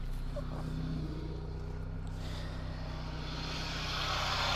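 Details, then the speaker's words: 1996 Saab 900, timing-chain engine: smooth, even idle with a steady low hum, no knocks or squeals, faint hiss rising near the end; sounds normal, only an idler or power steering pump pulley slightly noisy. "and as you can hear it sounds pretty normal no real weird sounds coming from there's a timing chain on it so that's also a good thing"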